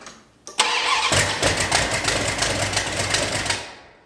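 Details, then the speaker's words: 1972 Dodge Dart Swinger with a new engine, carburetor dry, gas poured in, choke wide open, timing uncertain. It catches, runs rough for about three seconds, then seems to die when the key is released; fuel starvation, plus an exhaust leak. "It's idling. It's just got no gas. I think it's dying when I let off the key."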